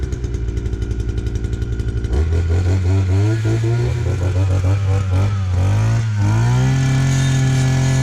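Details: Two-stroke brush cutter run on four-stroke fuel with some makeshift oil added, usually hard to start: fast even popping at idle, then a smooth climb to a steady high buzz without sputter. Normal running.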